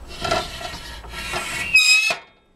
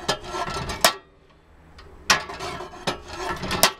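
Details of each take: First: Makita 2414NB miter saw while lowering the blade: dry rubbing scrapes ending in a sharp high squeak from the plastic blade guard rubbing; not heard while cutting; fix planned by mounting a plastic furniture wheel. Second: Makita 2414NB miter saw after fix: guard squeak when lowering blade cured by mounting a plastic furniture wheel with M4 screws; head now moves silently and smoothly, only soft rubbing and stop knocks.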